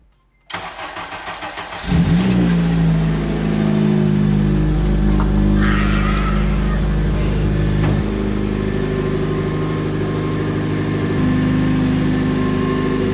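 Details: Acura TSX with K24, first startup of the build, no coolant in yet, after an earlier attempt clicked and shut off from an ECU connection issue: quick even cranking about 1.5 seconds, then catches into a steady idle; normal start.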